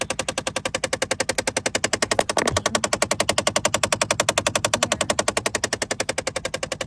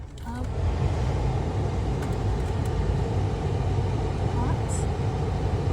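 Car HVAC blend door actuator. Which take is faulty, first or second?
first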